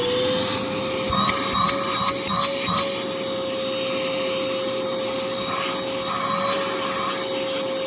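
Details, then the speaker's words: Used bagged vacuum from Facebook Marketplace: a steady high whine with a strained, choked pitch and little airflow rush. Owner first thought the bag was full; the suction path is clogged, though the bag doesn't appear too full. "that bag might be getting full oh it's clogged oh well that'll do it"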